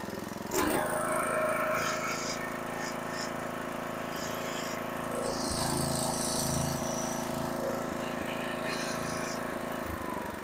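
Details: Briggs & Stratton 5 HP horizontal-shaft engine on a Craftsman tiller, running after pulsing on a second replacement fixed-jet carburetor was cured: even, steady note with no surging or hunting now; normal steady running.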